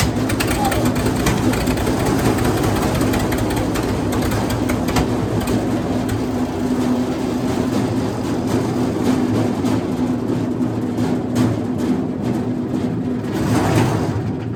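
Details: Wood chipper's small single-cylinder engine after new spark plugs: steady, even drone with no misses or knocks, music faintly behind; runs healthy.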